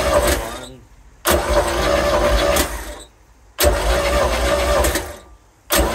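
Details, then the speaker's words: Mercruiser 3L (120 hp), ignition disabled, compression test: three ~2 s starter-cranking bursts, no firing. Cylinder 2 reads only 50 psi, very low against 95, 95 and 120 on the others. A wet test and a Sea Foam soak of #2 are planned. "okay let's see what do we have oh boy second cylinder is only 50 you know SEC second cylinder is only 50 really low"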